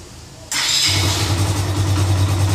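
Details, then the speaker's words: Suzuki Intruder/Yes 125 start after starter motor brush replacement and reinstall: short starter whir, engine catches within half a second and settles to a steady, even idle; repair successful, carburettor still to be adjusted. "E aí, ficou fiel. A moto tá funcionando perfeitamente."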